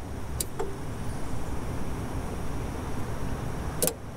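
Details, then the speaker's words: Old Toyota LandCruiser (80/70/60 series) with new starter, solenoid checked: key turned while multimeter reads only 8.5 volts at the starter, two sharp clicks with no cranking; low voltage at starter, not enough to turn it over. "okay that was eight and a half volts so basically we know that because it's only getting eight and a half volts that's not enough to turn over those big starters"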